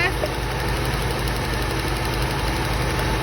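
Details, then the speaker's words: Old Toyota Corolla, tired compression, after cap and rotor replacement: low idle with uneven lope, still running rough; power balance test shows no rpm change on cylinder one, changes on two, three and four; cause suspected, unconfirmed. "she's still running rough still acting the same when we do a power balance test"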